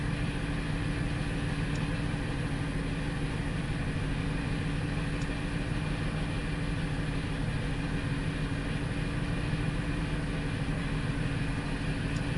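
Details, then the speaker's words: 2002 Ford Explorer that reportedly cranked but wouldn't start, now running with a very bad misfire: steady idle with an uneven, stumbling low throb, about three pulses a second; injectors checked okay, sensors read lean, fuel pressure suspected. "this thing got a misfire a very bad misfire"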